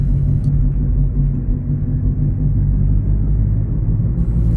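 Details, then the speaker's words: 1993 BMW 318is E36 being driven: a deep, loud, rough exhaust rumble with a boomy low drone from a holed muffler. "le silencieux qui est bien percer ce qui nous offre une véritable expérience de keke roulons dans une belle merguez"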